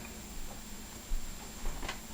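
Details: Faint, steady ticking of the wind-up timer on a vintage General Motors wall oven, still working, counting down in a quiet room; timer running normally.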